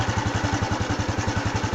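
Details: Honda Wave 110i (fuel-injected) after replacing the fuel pump with a new genuine one for a start-no-start fault; even regular putter about ten beats a second, no misses or surging, steady healthy single-cylinder idle.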